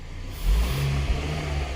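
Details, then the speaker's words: 2019 Kia Sorento after broken MAP sensor wiring repaired; engine picks up cleanly from idle into smooth rev with no stumble, popping or hesitation, goes into gear fine; healthy response, MAP reading normal, no codes. "You can see we're idling right now, fine. You come in the car. We can rev it up. It goes into gear, fine."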